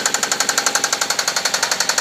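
Sharp, even knocking at roughly nine per second rides over a steady engine; a clear internal knock whose cause isn't obvious.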